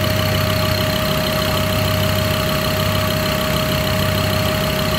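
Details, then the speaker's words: Ford Ranger diesel at its first start after installation, with injectors bled. Mic held near the engine. It idles steadily with a light quick tick-tick ticking on top, the normal sound of the injectors. "vendo esse barulhinho? Tique, tique, tique, tique, tique aí? É os bicos."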